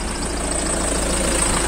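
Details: Peugeot 307 diesel at idle after its engine sensor was cleaned, not replaced: a steady, even idle with the usual soft clatter and no irregular knocking. It ran unevenly before the cleaning.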